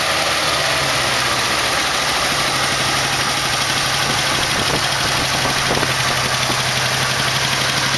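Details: 1968 AMX with a 401 replacing its 360 go pack, at a rough first-start idle: fast, irregular top-end ticking under a loud hiss; a lifter was later found worn so badly it had a hole in the bottom.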